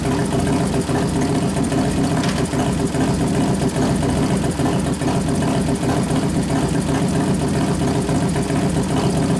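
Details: 1993 Harley FXR Evolution 89ci stroker, new build first start-up, air cleaner off: loping, uneven V-twin idle with a few light throttle blips and no mechanical knocks, warming up; healthy normal idle.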